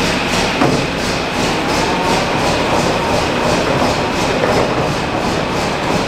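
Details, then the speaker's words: Concrete mixer drum run briefly off the truck PTO after interior work, checking for rubbing before primer: steady clattering with even thumps about twice a second, no scraping; normal run. "we're just going to start it up with the PTO here and run it for a quick second and we're going to reposition this thing and unhook it and get the primer on it"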